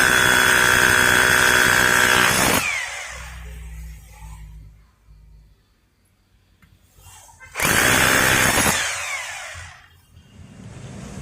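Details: Maktec MT870 SDS rotary hammer drilling concrete after repair of its drill-mode fault: two bursts of hard, rattling hammer drilling split by a quiet pause; hammer action restored, though the concrete-mode setting knob no longer works.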